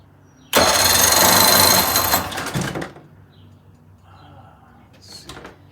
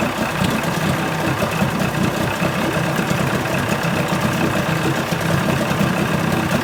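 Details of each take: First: 1980 Chrysler 45 hp two-stroke outboard, loud rough cranking that never catches; spark present, choke working, fuel smell; suspected ethanol fuel, a plugged carburetor or not using the fast-idle warm-up lever; later started and idled fine. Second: 1980 Chrysler 45 hp two-stroke outboard at fast idle with the prop in water after the crank-no-start complaint: a steady, even burble with no knocks, misses or surging; responsive, nothing found wrong.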